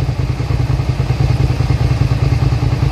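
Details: 2003 Suzuki SV650 V-twin, warm with a new radiator, idling with a steady, deep, even thump and no knocks or misses. The fan cycles and temperature fluctuates between about 210 and 217, which is expected. Normal idle.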